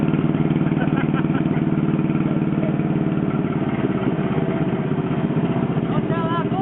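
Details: John Deere 420 Crawler two-cylinder tractor restarted after running out of gas; steady, even low thumping at about three beats a second with no knocks or misses; generator turning, charging unknown; runs normally.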